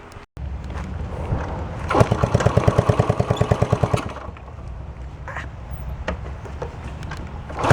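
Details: 1972 Honda SL125 single with new battery, cold start on handlebar choke: fires into a quick, even popping beat for a couple of seconds, then settles to a quieter idle; normal cold-start running.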